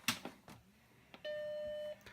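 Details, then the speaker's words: Apple Macintosh SE compact Mac (1 MB RAM, 800K drive, 20 MB hard disk) powered on for the first time: a few clicks, then one clean, steady beep, a normal startup chime showing it boots. "the beep is a good sign"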